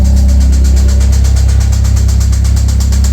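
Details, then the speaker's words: 1996 Eagle Talon DSM 420A engine, about 140,000 miles, sat a year to a year and a half on stale fuel: rough idle with steady knock three to four per second; owner suspects something dropped on a piston or a rod bearing, before teardown. "ough pretty rough I'm thinking either something dropped on top of a piston or rod bearing I don't know but I'll let you guys make your guesses and then we'll tear it apart"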